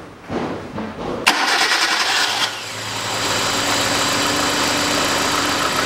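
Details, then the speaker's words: Hyundai Accent 2006, petrol, manual, with codes P0134 and others. After the throttle body was cleaned it cranks, catches, then shakes at an uneven idle. Misfire traced to a faulty ignition coil, later replaced. "не хочет она нормально работать ровно этот болтается и это тоже"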